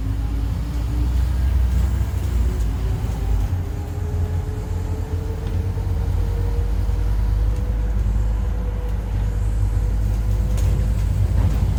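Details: 2008 ADL Enviro 400 Scania N230UD Euro 4 bus driving: over deep engine and road rumble, a howl climbs in pitch as speed rises; suspected bad bearing or worn tyres, unconfirmed.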